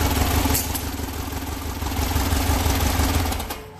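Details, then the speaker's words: Freshly rebuilt air-cooled Volkswagen flat-four at its first start-up, oil pressure confirmed, lopes and hunts unevenly because the carburetors are badly out of adjustment; the next step is to tune the carbs. "what I would do at this particular point now is start tuning the Carver's as you can hear by the way it's running that it's that they're way off"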